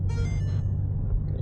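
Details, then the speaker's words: 2011 Ford Territory 2.7L V6 turbo diesel with a failed in-tank lift pump, driving. A bright two-note warning chime sounds over the diesel rumble on harder acceleration; low fuel pressure limp mode, struggling to reach 40 km/h. "yeah soon as soon as you accelerate a little bit harder. It's equivalent of the BMW chime. The chime of death. Yeah, it's having drama sucking enough fuel up."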